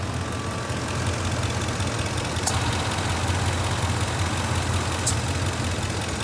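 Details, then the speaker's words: A/C on full cold at idle in a 90°F shop: sharp compressor clutch clicks every couple of seconds over steady idle, short cycling that indicates low refrigerant charge. "That clicking? That is the AC compressor. It keeps cycling on and off."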